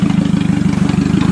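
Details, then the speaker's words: Toyota Camry demolition derby car after jumping power to the computer, floored in a test run on dirt, earlier hesitation at idle in park: fast, even firing with steady power, no stumble or hesitation; running normally. "Yep, she's kicking fucking dirt, that's for sure. No hesitation, no nothing."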